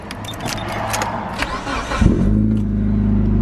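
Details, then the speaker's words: Mitsubishi Evo after fitting intercooler piping and blow-off valve; mass air sensor had been only half plugged in (intake air temperature/mass codes), reseated and codes cleared: engine fires first crank and settles to a steady, even idle, sounding right. "That's better. That sounds more like it."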